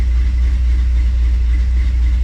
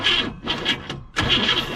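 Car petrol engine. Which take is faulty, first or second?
second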